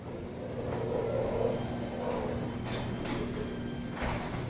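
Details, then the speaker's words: Newly installed Chamberlain RJO101MC wall-mounted garage door opener, after setting door profile and travel limits, run by remote: low, quiet, even motor hum as the door moves smoothly, a few light clicks at the end as the lock engages; normal. "Have the remote. I'm gonna program it to my other remotes, but get an idea of how quiet it is."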